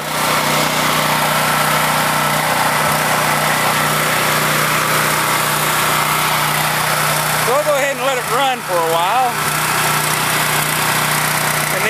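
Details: Husky 5000 W generator, unused for years, after fresh gasoline, started first pull, generator output tested: steady, even drone with no hunting, misses or knocks, holding speed; runs healthy.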